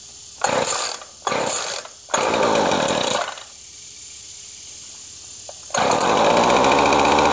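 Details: Featherlite FL25C two-stroke string trimmer, which previously ran only barely on full choke, after a carburetor replacement: sharp revving bursts settling into a steady, clean high buzz, now running properly off choke.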